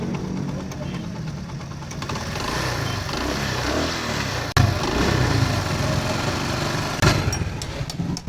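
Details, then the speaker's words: Honda CD 70 after timing chain replacement and tappet play adjustment, idling: steady, even single-cylinder putter with no chain clatter or rattle, sounding like new. "जैसे आपने सुनी आवाज़ कैसी, बिल्कुल ज़बरदस्त आवाज़ बन गई है इसकी।"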